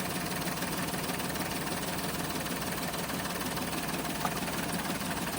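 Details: Toyota Wigo automatic with low power: uneven stumbling idle that keeps skipping, an engine misfire.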